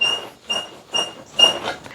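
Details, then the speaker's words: 1987 Honda 250X ATV, about 35 years old and sitting for 10 years, engine not running: sharp high squeaks about twice a second as the front end is rocked; front suspension bushings and bearings are worn out. "the front end the front end is so janky and just I mean listen to it I mean listen to this custom suspension you're going to scare away the deer"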